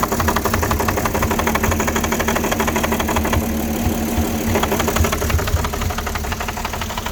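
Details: 2006 Porsche Cayenne 3.2 V6 petrol, cold just started: rough idle with fast uneven chuffing pulse and wavering beat; owner suspects misfire, vacuum leak or throttle body problem, not confirmed.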